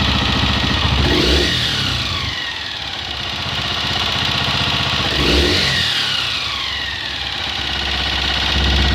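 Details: Honda XLR single-cylinder idling with a quick, fairly regular tapping that rises with two throttle blips; engine-side noise, cause unclear.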